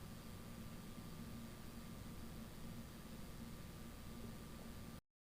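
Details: Husqvarna K770 concrete power cutter after repair of bogging, with replacement intake part likely from a K760: steady even two-stroke drone holding one speed, no surging or bogging, then cuts off cleanly; running normally.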